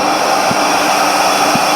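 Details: 2014 Chevy Impala secondary air injection test during P0411 repair, pump and valve commanded on, manifold off: steady high electric blower whir, even pitch, no rattle or grinding; pressure about 1.15 psi, down from 1.5, pump normal.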